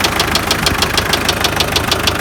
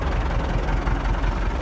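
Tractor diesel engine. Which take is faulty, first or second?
first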